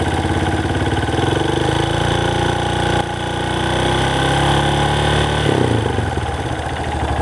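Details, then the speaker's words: Motorcycle idling with a light, fast ticking over the exhaust beat. Owner suspects a slack timing chain slapping and doubts the valves, since a valve job was done recently. "I'm curious uh what this noise is I'm going to start it up I don't know if you can tell with the camera but does that sound like a chain a loose chain slapping"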